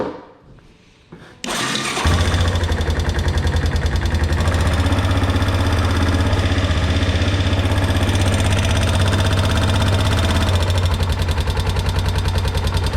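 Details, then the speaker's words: Kawasaki four-wheeler (ATV) started after a flip: a steady fast tapping of two to three per second rides over the thumping single; owner says it is definitely top end and not going away. "That's for sure top end. And it's for sure not going away."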